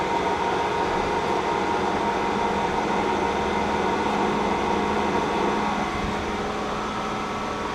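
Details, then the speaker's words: K&T milling machine's hydraulic pump starting up at the lowest speed, oil flowing in the sight glass: steady, even hum with faint regular pulsing as pressure builds. Smooth, healthy startup. "nice and smooth you can hear the pump working whenever you turn this on"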